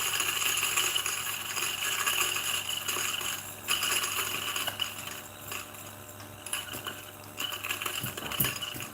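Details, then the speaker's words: New DF64 flat-burr single-dose grinder grinding a 10.1 g dose for a retention test: steady motor whir with gritty crunch of beans feeding evenly through the burrs; normal grinding. "and i'm gonna grind it to see whether it's actually uh almost zero retention so now this is uh the sound of the motor with the coffee beans"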